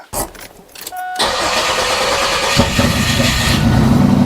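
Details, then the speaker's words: 1996 Camaro 3.8 L V6, bought sight unseen, sprayed with carb cleaner: fast rhythmic cranking, then a brief ragged catch that nearly runs before dying; owner suspects very bad or no gas. "no way it wanted to I think the gas in this thing is really really really bad or maybe it doesn't have gas at all"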